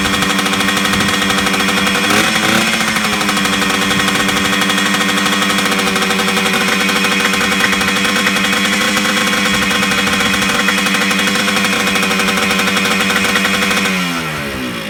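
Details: 1980s Yamaha MX100 two-stroke just started after fuel tank cleaning, fuel tap unblocked and new fuel pipe, choked, premix fuel; steady fast buzzing idle, then revs sag and die; idle too high, owner suspects the throttle.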